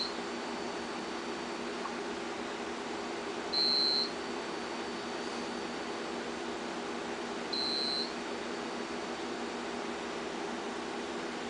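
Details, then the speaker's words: Homebuilt generator transfer switch test with mains breaker switched off: UPS gives short high beeps about every four seconds over quiet room hum, running on battery after mains loss. "here's are the UPS's down here they're beeping they should be running on battery backup something is wrong"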